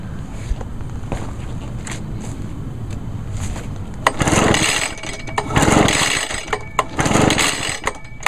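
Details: 2011 Echo PB-500T backpack blower, 50.8cc two-stroke, unstarted about a month and a half, started on choke after five primes: catches after several pulls, then runs and revs up in bursts; running normally.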